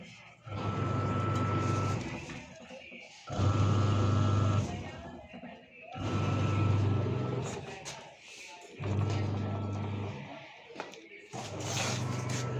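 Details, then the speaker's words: Old-model Whirlpool semi-automatic washer (complaint: no wash or spin), wash program after wiring repair: heavy low motor drone surging as the agitator reverses, about every 2.5 s; vibration from the rotted motor base; wash motor coil OK. "মটৰৰ বেছটো যেতিয়া পচি গৈছে, পচি যোৱাৰ লগে লগে ই যেতিয়া ৱাছত খালী মেচিনত ভৰিছে, ৰখাই দিয়াৰ লগে লগে ৰখি দিছে।"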